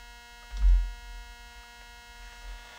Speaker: see that's got definite yeah that's definitely a 60 cycle hum in that 100 percent